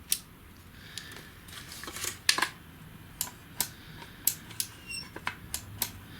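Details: Sony ZS-D5 boombox with no power and no CD playback, dismantled: sharp, clean clicks at irregular intervals in a quiet room as the CD door switch is actuated; meter testing shows the switch working normally.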